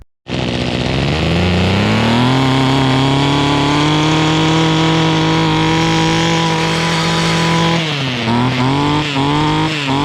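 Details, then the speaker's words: Mantis two-stroke rototiller after cleaning the carb needles and setting low just under one turn out and high about 1.5 turns out: catches at once, holds a steady high buzz, brief dip then recovers; running normally. "all right finally got this thing dialed in turn it on"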